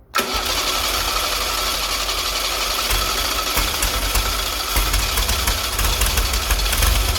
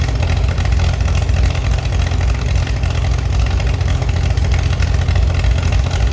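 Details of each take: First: Restored Chevy SS engine's first start, carburetor bowl float level set too high so fuel overflows: catches and runs roughish about ten seconds, then dies and stutters on restart; fix is closing the fuel inlet further. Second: Chevy SS under restoration, engine restarted after the owner lowered the fuel level to fix a mistake. Deep, even idle with a steady pulse, no misses or tapping: normal, healthy idle.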